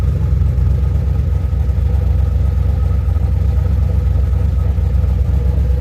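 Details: 2007 GXP with Sloppy Stage 3 cam, VATS and DOD deleted via HP Tuners, first start-up after retightening loose front rockers: choppy lumpy big-cam rhythm about four beats a second, even, no popping or ticking; loose-rocker popping fixed, valvetrain healthy.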